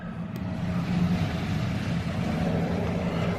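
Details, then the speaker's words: 2020 Rockwood Geo Pro 19FD RV water pump heard from inside while winterizing, hopefully drawing pink antifreeze from a bucket: steady low even drone, no knocks or surging; pump running normally. "you can hear it running in here gonna run for a little bit and hopefully it's sucking pink stuff in there"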